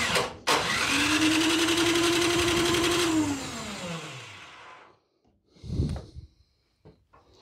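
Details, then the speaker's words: Craftsman snowblower after carb cleaning and fresh gas, choke on and primed: a high electric-starter whir spins about two seconds then winds down, engine never firing. Owner suspects the starter isn't engaging fully. Unconfirmed. "okay so electric start needs a little attention it's not loose so we're going to have to look at that probably not engaging all the way"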